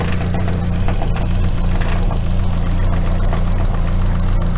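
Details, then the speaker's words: Nissan S14 240SX with a freshly reinstalled SR20DET at steady idle; a light buzzy vibration comes from a loose hood pin, and the noise stops when the pin is pulled tight. "This hood right here, this pin in here is loose now, so it vibrates."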